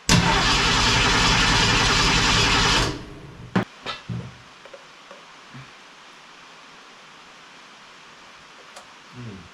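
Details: Ford Falcon wagon with swapped SBF 302 V8, after fixing miswired coil power wire losing power during cranking: starter spins briskly about three seconds, steady rhythm, engine never fires; cause suspected, not confirmed.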